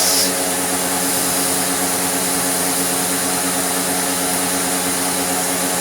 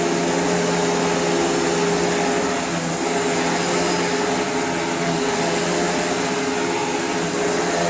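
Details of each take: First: Restored Dirt Devil Eclipse Plus 6750UK vacuum on tool suction: steady rushing motor roar with a hissy airy edge. Air escapes from everywhere once the hose is blocked, so tool suction is weak; only the floor-head path is properly sealed. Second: Dirt Devil (Royal) Eclipse Plus 6750UK upright vacuum after restoration, with a new better belt and a stiff wooden brush roll: steady, even motor whir with a constant airy rush, no rattles, slipping or pitch wobble, running healthy.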